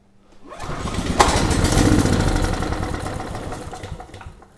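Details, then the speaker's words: Generac WheelHouse 5500 W generator with Briggs & Stratton engine 204412, oil switch disconnected, choke on: catches with a pop, runs rough a few seconds, then shuts down abruptly; spark lost. "And I think we just lost spark again. I thought we had it there for a second, but like the first time this engine started, it only fired a couple times and then abruptly shut down."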